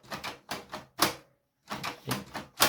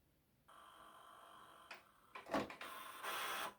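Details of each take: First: HP Photosmart 7260 inkjet printer from 2003, after adjusting and reassembling the paper feed fix, at power-on: regular bursts of mechanical clatter about every half second; paper now feeds and the carriage slides back and forth normally. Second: 2003 HP Photosmart 7260 inkjet printer on a print command: short separate motor buzzes and whirs, but no steady feed follows. Paper feed failure; the dirty paper pick-up roller is suspected of slipping and gets cleaned.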